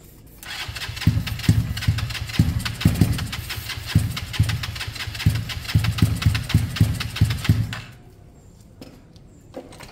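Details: Kawasaki KSR GRS 125 motorcycle, start attempt with airbox fitted, new spark plug and starting spray: uneven stumbling firing with irregular thumps for several seconds, never picking up revs, then dies. Owner suspects top end, possibly skipped timing tooth or misadjusted valves; unconfirmed.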